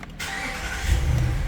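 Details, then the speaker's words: 2019 Dodge Ram after bodyshop wire repair, battery weak and jump pack connected: short crank, then the engine catches and settles into a firm even rumble; normal start. "here we go it started but"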